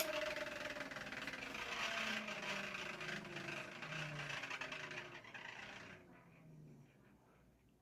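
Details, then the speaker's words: Early-1980s Panama Fan Co gear-driven 52-inch plastic ceiling fan, switched off and coasting: thin squeaky whine sliding lower and fading fast; owner suspects the gear needs greasing. "I think that squeaking sort of sound is from the the ear need to be like greased or something I might do that but yeah has a very quick spin down time"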